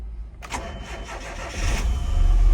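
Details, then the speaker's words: Truck with five-speed manual, fairly low miles, oil looking suspect with possible water (head gasket suspected): brief crank, starts right up and settles to an even idle with zero timing chain rattle; normal cold start. "started right up and i have i know with mine i have a little bit of timing chain rattle that was zero timing chain rattled with that"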